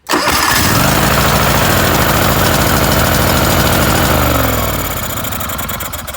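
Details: John Deere LX188 mower after new carburetor install, choke working, governor pushed fully over: engine catches right away, runs smooth and even with a steady beat, then eases down as throttle drops; normal start and run.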